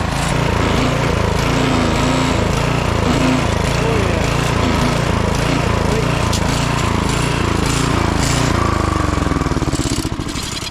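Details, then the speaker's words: Late-1990s Honda Harmony 1011 ride-on mower: harsh rhythmic plastic grinding, about four times a second, over the running engine when the drive is engaged and pulled back; transmission grinding, gears likely stripped from being yanked while in gear. "yeah you hear some pretty bad plastic grinding when you uh have this engaged and you pull back on it which is probably how it got stripped out right"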